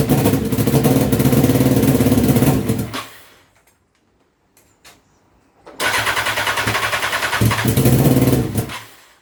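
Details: Honda CBR929RR SC44 turbo build first start attempt, fuel map incrementally increased from zero: two long bursts of fast steady cranking, about three and a half beats a second, never catching; owner suspects oversized 600 injectors.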